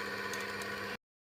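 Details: Stone flour mill (atta chakki) motor after a bearing change, drawing 2.7–2.8 amps: a steady, even hum with no grinding or knocking, running smoothly.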